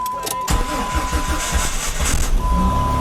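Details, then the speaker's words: Rebuilt 2004 Jeep Grand Cherokee 4.0L with a new radiator, after closed spark plug gaps were fixed (it had run on three cylinders), about 40°F: a steady, even idle with no misses, knocks or ticks. One pulley is noticed screaming. "so right now it's it's running it's running really really good"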